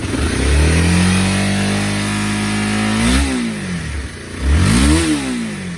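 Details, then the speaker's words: Honda CBR250R left in a yard 5 years, fresh fuel and a generic battery, first start and warming up, likely stale gas still in it: engine catches, then two clean blips rise and fall smoothly, no knocks; runs and idles. "All right, runs idles. That's awesome. Sweet."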